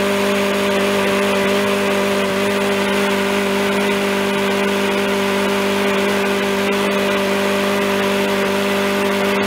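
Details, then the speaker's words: Free yard-sale Craftsman mower, about ten minutes after the oil level was checked at just above the high mark: steady, even drone at constant pitch, no misses or surging. It is only burning off oil on the contaminated muffler. Normal running. "that's about ten minutes later and it seems like it's pretty much good except for what like I said the muffler was gonna be contaminated"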